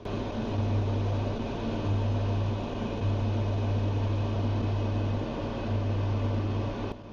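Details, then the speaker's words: Elica SHY-BLK-90 cooker hood extractor fan, new, switched on; deep loud hum swelling and fading in roughly one-second surges over the fan's rush, carrying through the house; loud abnormal hum. "this is the noise I keep hearing that is pretty loud and that's going through the house"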